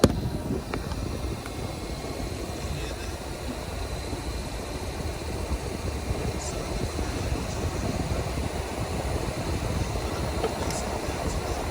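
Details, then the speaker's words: 2008 Infiniti M35 with ignition on and engine not started, AC off: a steady whooshing cooling fan that never cycles; the fan runs whenever the car is switched on due to a failed fan control module, to be replaced. "That fan just runs every time the car comes on. And it's the fan control module. That's what it's called."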